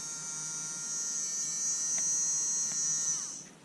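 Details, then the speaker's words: Bosch Ixo cordless screwdriver motor powered directly after something jamming it was freed: even high buzz, smooth and unbroken, winding down when power drops; spinning freely. "let's um see if we can cheat and go directly to the motor plus minus ah there we go so something was jamming it"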